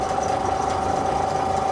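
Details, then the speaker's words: Chinese copy of a Tohatsu 5 hp outboard, just restarted after gearcase and water pump reassembly, idling steadily with an even high buzz, no knocks or misses; weak tell-tale stream is normal, no thermostat fitted; motor runs well. "Термостат в этих моторах отсутствует как на Tohatsu, так и на китайских копиях Tohatsu. Мотор работает хорошо."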